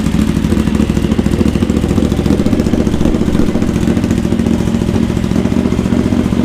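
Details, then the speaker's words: Honda GL650 V-twin first start after full rewire, stock headers with crossover into merge and Cone Engineering muffler, some smoke from paint baking on pipes: steady, even deep lumpy beat, no knocks or ticks; normal running. "this sounds really good right that was my goal"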